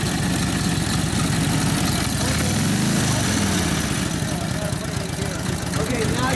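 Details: 1942 Harley-Davidson WLA 45ci flathead sidevalve V-twin, after rebuild and tune-up following years of sitting: loose, loping beat at fast idle with steady low chuff and some exhaust roar; runs clean and healthy.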